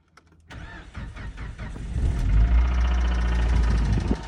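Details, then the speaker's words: Suzuki engine: it catches and settles into a heavy, lumpy low run with a dull knock roughly three a second; shown as the knock from a faulty bearing shell or piston pin. "пальцем вот так у нас стучит двигатель когда даётся стук в поршневом пальце или вкладыше"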